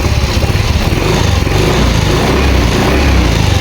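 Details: Yamaha Mio Soul i 125 with a hard-starting problem, battery replaced: at 13.1 V the starter spins briskly, dropping to about 11 V, and the engine catches into a quick, even putter; normal cranking and start.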